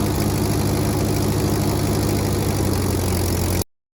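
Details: Ford 8N tractor after replacing the exhaust manifold gasket, test run: steady, even low engine beat with no popping or cracking from the manifold; sounds sealed and healthy, good oil pressure even at temperature.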